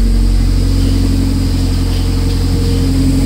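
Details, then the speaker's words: Toyota MR2 Spyder, first start after DIY 5 psi turbo kit install, oil primed, 12:1 AFR: revs held steady with an even, deep drone and no stumbles or rattles; healthy normal revving, small exhaust gasket and oil leaks noted. "whoa that sounds good that's my throw up baron"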